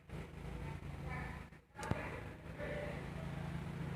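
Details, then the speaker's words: Nissan X-Trail automatic, idling just after start with AC switched on: steady low idle hum sags briefly as the AC compressor loads the engine, then settles to a slightly different tone; normal idle compensation. Blower motor not blowing. "Hal ini terlihat RPM turun ya Coba kita matikan ini rpm nya agak naik mungkin kita on-kan aslinya"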